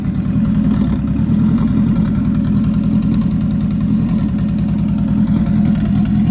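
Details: Rebuilt Nissan Juke project, first runs after the build: a steady, even warm-up idle with a smooth low rumble and no misses or knocks, running on its own. The air-fuel readout was not displaying, and a small oil leak was noted.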